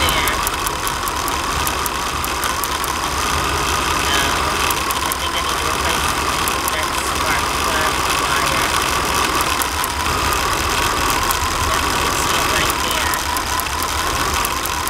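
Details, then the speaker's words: 22-foot RV motorhome engine at warm idle, recently fitted with a new radiator: fast, uneven light ticking about three a second over the idle; others suspect arcing from a spark plug wire or plug, unconfirmed, with new plug wires planned. "they both think it's either the spark plug wire or a spark plug they said that's an arcing sound that clicking sounds"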